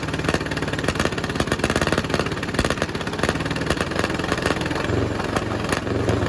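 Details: 1951 Caterpillar D8 2U dozer, sitting since 1990, big diesel freed after being stuck, first run on its own power: heavy chuffing in a steady, even beat, holding speed with no knocking or stumbling. Running properly.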